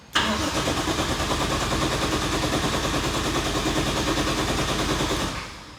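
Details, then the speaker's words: Nissan 180SX with a 1JZ engine swap, first start attempt after about 3 years unused. The starter cranks steadily for about five seconds but it never fires, with no ignition. Old wiring or unplugged connectors are suspected. Crank, no start. "Cobaan pertama, cobaan kedua. Kayak belum ada ignitionnya gitu. Kita cek dulu, semoga cuma masalah perkabelan doang."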